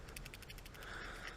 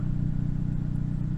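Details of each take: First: Failed upstream (bank 1 sensor 1) oxygen sensor removed from a 2008 Toyota Yaris with code P0031, heater circuit low: shaking it gives a quick, light ticking rattle from something loose inside. The sensor is very likely dead; the cause is suspected. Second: 2008 Toyota Yaris after upstream O2 sensor replacement, code P0031 cleared with no faults on rescan: steady, even low idle with no misfire, ticking or hunting; the engine sounds healthy.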